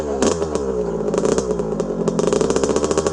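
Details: 1982 Honda CR125R, original stock two-stroke, started first kick, throttle blips while warming up: sharp crisp crackle snapping up and down cleanly; tight, healthy engine.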